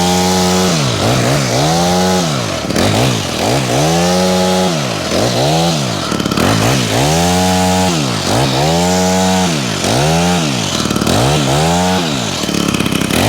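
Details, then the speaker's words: Honda HHH25 two-stroke hedge trimmer after a carburetor replacement and idle adjustment: repeated throttle blips rise cleanly to high revs and fall back to a steady idle without stumbling; more responsive, running healthy. "Seems to be running okay. It's idling at a good speed as well now."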